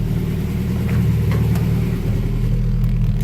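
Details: Honda Prelude that sat a while, run with the engine harness thrown on, about 40 psi, no leaks or check-engine lights: low steady idle swells smoothly on a light throttle blip and settles evenly. Normal rev response.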